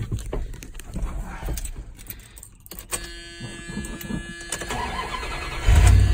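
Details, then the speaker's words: 1987 Dodge Ram D100 318 V8, just after replacing the starter/positive battery cable: a brief fast crank, then it catches quickly and settles into an even run. A light rattle comes from a loose plastic bag in the engine bay. Normal start. "lastly that started right up sorry about that noise there I actually left a plastic bag from the table up there and it kind of got down there and started rattling"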